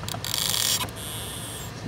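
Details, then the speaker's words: Ram ProMaster HVAC blend door actuator above the gas pedal: thin high creaking and chattering as it strains from hot to cold because its motor gear teeth are stripped, then a faint whir; to be replaced. "See it fail because the teeth are stripped on the actuator motor."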